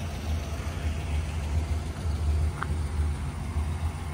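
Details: 1979 Chevrolet Impala V8 at idle, heard from inside the car after a new resonator and a quiet factory muffler replaced the loud exhaust. Deep, even low rumble with a steady beat and no ticking or popping; a normal, smooth idle.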